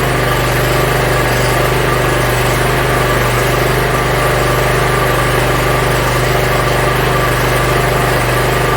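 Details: Yard Machines (MTD) 42-inch riding mower, small single-cylinder engine, after carburetor cleaning and freeing a stuck emergency shut-off: steady, even idle with a smooth low thrum, no misses or knocks; runs pretty good.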